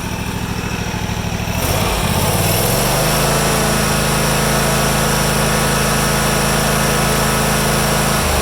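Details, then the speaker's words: Deere GT235, 1200-hour air-cooled Kawasaki, after mixture, throttle stop and governed idle adjustment following carb work for lean surge; idle chug rises smoothly to wide open throttle, steady high hum without surging. "You want to do your mixture first, and then your throttle stop, and then your governed idle, and then your wide open throttle. That's kind of the order. I'll go to wide open throttle just so you guys can see that there."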